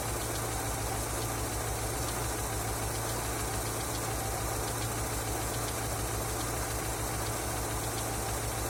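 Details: Engine knocking after an oil change: steady idle with a faint, regular light tapping riding over the engine note; knock at idle, cause not evident.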